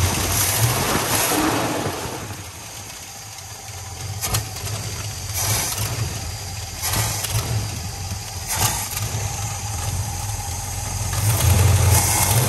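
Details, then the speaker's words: Plymouth Fury V8 sitting for five years: rough run that surges and sags as throttle opens, stumbling instead of picking up; hesitation on acceleration, suspected accelerator pump, not confirmed. "a lot sounds bad yeah so that's the excitement we're having with this guy yeah so i think that hesitation is accelerated pump"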